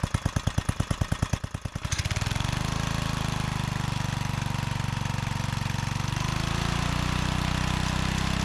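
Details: John Deere 3 hp tiller, neglected and being revived: several sharp starting pulses, then the little single runs steady and even with no misfires; running properly.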